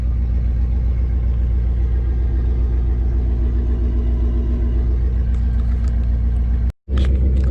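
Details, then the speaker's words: LS1 V8-swapped Nissan Patrol just after its first start: cold-start idle settling down with a deep, choppy cam lope. Sounds healthy; power steering not working, clutch not engaging. Normal idle with cam lope. "So it's got a cold start idle obviously, and you might hear the cam when it comes down a bit, but got no power steering."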